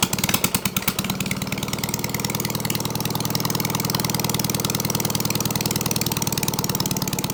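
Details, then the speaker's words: Case trencher engine started via jumper wire after sitting, cooling fan not hooked up: a few rough catches, then an even, steady firing beat with no knocks or misses; running properly. "yeah thing's good shut it off for the engine gets too hot cooling Fan's not hooked up that runs good hell yeah that's a win that is an absolute win"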